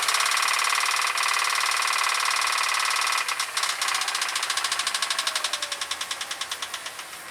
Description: Jeep Grand Cherokee makes noise from the engine. Sound like a Ticking or Knocking sound. Tapping from somewhere around the motor.